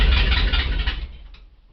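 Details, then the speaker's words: 1965 Ford F250 being revived, about six bent pushrods replaced, started cold in a closed garage; the deep rumble runs about a second, then sags and dies. The owner says it wasn't choked long enough; stalling after start. "didn't choke it long enough but that's all right"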